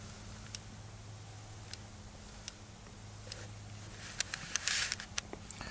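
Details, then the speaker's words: Škoda Felicia retrofitted driver seatbelt warning microswitch mounted beside the belt; the roller touches the belt when it is retracted, and pulling the belt out opens the switch: sharp light clicks at irregular intervals. The switch works normally. "Tady slyšíte ten rozdíl, kdy je spínač sepnutý a rozepnutý."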